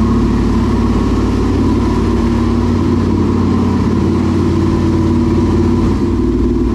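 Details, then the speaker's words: New engine in a dirt late model race car after an adjustment: deep, steady V8 idle with an even lope and light throttle blips; it runs clean with no misfire or knocks and sounds great. "i think they both sound great they both say they found like they sound like first and second place"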